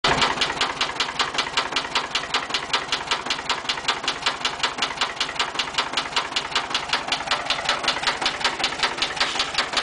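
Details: VW air-cooled 1200 40hp engine idling with sharp steady metallic knocking several raps a second: rod knock, though it seems to idle fine.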